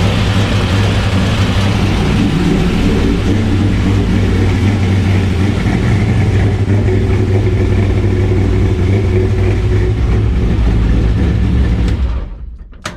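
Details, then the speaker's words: 1981 Camaro C-Prepared autocross car after Holley HydraMat install to fix fuel starvation: deep, steady idle for about twelve seconds with no stumbling or surging, then clean shutoff; engine runs fine, not yet driven or raced. "so obviously we need to drive it and race it, but I'd say that works."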